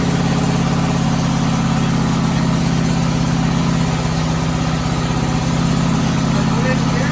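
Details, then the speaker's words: 1972 VW Westfalia bus with CB Performance Solex carbs, running at first drive after 14 years. Steady, fast idle that never drops back, because the internal choke-linked mechanism hangs the throttle up. High idle from a sticking choke. "okay so as you can hear we've got a lot of problems with revving so these are cb performance uh solex carbs and what's going on is that there's an internal mechanism connected to the choke and um what happens is it kind of hangs the throttle up internally"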